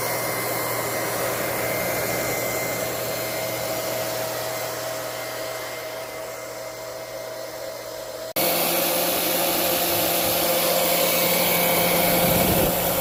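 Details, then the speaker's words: Liberty model 331 pump after rebuild with impeller reinstalled: steady motor whir with an even tone that shifts once as load changes as it is primed and pumps, no rattling or grinding; much quieter than before repair. "It's not primed, but we'll just see how quiet it is now compared to the other videos. Much quieter."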